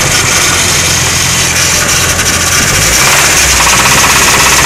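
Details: Nissan SR20 engine at steady idle with a sharp, fairly regular knock about three a second over busy engine clatter; suspected rod knock, unconfirmed.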